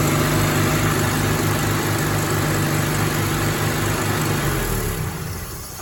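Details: Rover P4 80 idling after the first of its ignition cables was swapped from acorn-boot to rubber-boot leads, fitted because of rough pinging and shocks from a suspected insulation leak; it ticks over evenly with no misfire or knock, then shuts down.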